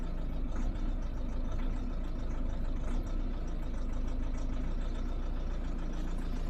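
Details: 2010 VW Golf 1.6 TDI with DSG, cold start: heavy diesel clatter at idle with an uneven, slightly lumpy beat; rough cold idle, cause unknown.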